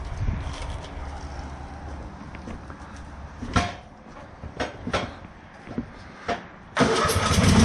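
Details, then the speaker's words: Lawn mower restarted after being shut off without closing the fuel valve; several short cranking bursts before it catches and runs. Intermittent starting; owner suspects under-12 V at the solenoid wire from the ignition, or a failing starter. "the button the starter is acting up might need a new starter but I need to check my voltage and everything all the way from the key before I even think about replacing the starter"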